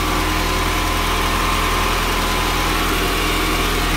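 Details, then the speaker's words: Honda D-series engine, newly bought and fitted, first start-up on factory exhaust, warming up before thermostat opens, after new thermostat, radiator cap, oil, filter and plugs. Smooth, even low idle with a steady throb, no knocks or ticks. Sounds very healthy. "But it's good. It sounds healthy. Sounds very, very healthy."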